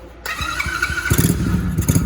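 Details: Kickin Powersports 110cc Dirt Kicker XV110 with electric start and fully automatic engine, kill switch on, key on, brake pulled: a short starter whir and cranking pulses, then it fires within about a second. A clean start that needs a little gas to keep running.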